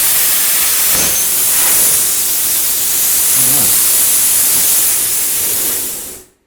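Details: Lotos LTP5000D plasma cutter at 50 after poor cutting at 30: steady loud airy arc hiss, even and unbroken until shut off; solid cuts, clamp cable not hot; normal plasma cutting.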